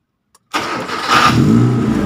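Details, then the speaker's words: Kia Sephia Timor DOHC injection, warm at normal operating temperature, battery now steady at 12 V after earlier weak-battery no-crank: brief brisk crank, engine catches right away, revs and settles; normal start. "Nah, mesin hidup ya teman-teman, berarti sudah normal. Nah, mesin sudah hidup ya teman-teman, sudah bisa di starter karena baterai voltasenya sudah normal."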